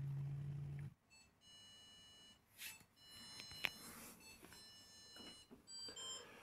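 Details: Whirlpool 6th Sense PowerClean WFC3C24PX dishwasher, about six years old, red tap logo after about 2 minutes: single steady beep then handling noises; water-supply error, lack of power supply suspected, cause unclear.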